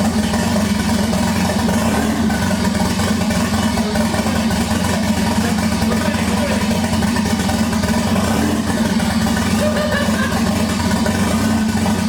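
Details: 1988 Toyota Supra (MK3) with swapped 1JZ-GTE VVTi six-cylinder, first start after a fuel pump issue was fixed: fires and settles into a steady, even idle with a smooth low hum, no misses or knocks; normal running.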